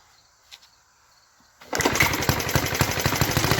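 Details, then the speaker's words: 1952 Clinton VS-700 push-mower engine after confirming spark with a fouled plug: engine catches and runs with uneven, stumbling pops around four a second; rough sputtering start running on primed fuel. "and she's starting to spitter it's better to life"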